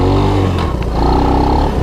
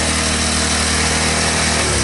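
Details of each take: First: 1983 Honda ATC185S three-wheeler on a ride: engine revs, then drops sharply with a short hard knock as it goes into gear; harsh gear engagement because the shifter clutch needs adjustment. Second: 1983 Honda ATC185S three-wheeler single-cylinder engine after the first start following sitting: runs even and crisp, then slows to steady separate beats at low idle; no smoke, no bottom-end knock, valves sound good, normal running.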